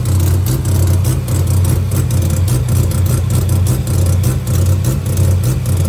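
Loud, deep idle that lumps and stumbles unevenly, roughly once or twice a second, instead of running smooth. A rotary missing at idle.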